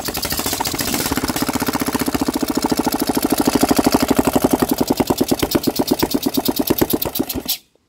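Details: Scrap-bound Briggs engine from an old Craftsman tractor, first real run in many years after a valve grind and adjustment, on a leaky temporary carburetor with the choke on: rapid, even firing pulses with no misses or knocks, then it cuts off. It runs cleanly.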